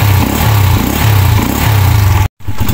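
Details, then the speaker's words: Rusi TC Macho 125 single-cylinder motorcycle after being soaked in rain: strong deep thump rising and falling with throttle blips, firing evenly; normal running. "Nabasa na sa ulan ito pero ang lakas umandar pa rin."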